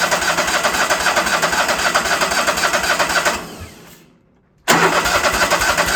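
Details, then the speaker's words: Ford tractor that acts like it is not pulling fuel, fuel shutoff solenoid no longer heard clicking: starter churns about four beats a second, stops, cranks again, never catches; crank no start, solenoid suspected, unconfirmed. "Still acts like it's not pulling no fuel. All right. I can't hear that solenoid stick uh clicking again."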